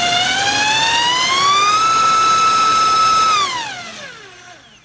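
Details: Brushless outer-rotor motor on a thrust-measuring stand run with a KISS 24A ESC: clean whine climbs smoothly in pitch, holds steady at full throttle, then winds down with no rough or gritty sound; normal run, no current limiting.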